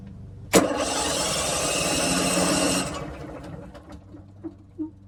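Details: RV generator long unstarted, cranked on newly installed replacement batteries; starter spins the engine evenly for over two seconds with no firing at all; cranks but won't start.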